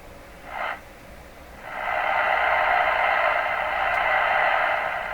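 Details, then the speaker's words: Ford Zenith 6MF780 tube car radio on the bench with tubes still hot, volume full and low B+ applied during IF alignment setup; short burst then steady even speaker hiss, no hum or crackle, audio output normal. "okay so these tubes are still hot in this so we should get the result we got last time which was a hiss"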